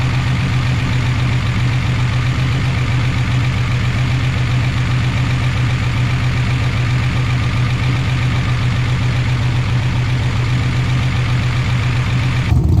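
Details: 1988 Chevy Camaro IROC-Z V8 after replacing lifters that would not stay pumped up and caused lifter noise: steady, even idle with a deep smooth rumble and no top-end ticking; normal idle.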